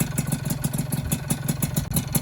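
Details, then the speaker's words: Freshly rebuilt two-stroke engine, just started on first run; the PIM piston is slightly undersized, with clearance deliberately left a bit loose, giving piston slap: a light regular tick about six to seven per second over a fast idle, mainly at the front. "Cuma di sini seperti yang saya bilang di video di awal teman-teman, piston PIM itu sedikit kurang ya. Nah jadi ini agak sedikit ngelitik ya, depannya agak sedikit ngelitik teman-teman."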